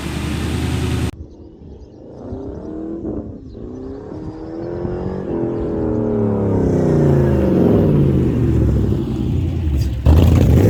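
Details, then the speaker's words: Ford Capri with swapped Mercedes M113 5.0 L V8, no misfires or smoke: revs climb unevenly, surging and faltering instead of pulling cleanly; stutter due to untuned fuel table. "No misfires. The fuel table isn't tuned yet, so it will stutter and"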